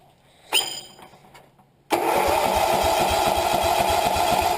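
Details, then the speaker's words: 1975 Sears Suburban ST16 single-cylinder tractor started on battery, no choke, after starter brushes and commutator sanded: a click, then quick strong crank and immediate catch, settling to a steady thump about four per second; valves very quiet. "That starter sounds powerful. Maybe the valves are too out of adjustment. Look at that. I don't even hear the valves."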